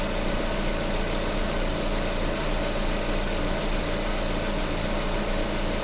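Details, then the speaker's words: VAZ 21127 engine at idle, listened to with a stethoscope on the water pump: a steady, even hiss and hum with no grinding, so the pump bearing is fine. The bypass idler roller squeaks slightly. "Эта помпа была, помпа нормально."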